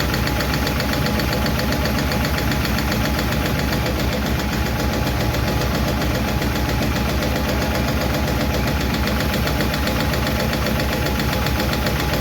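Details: 1951 Chevy truck engine at steady idle after starting, with fast, light top-end clicking that follows engine speed; number 4 intake and number 2 exhaust lifters still tick, number 2 intake seems okay; owner plans to re-adjust those two.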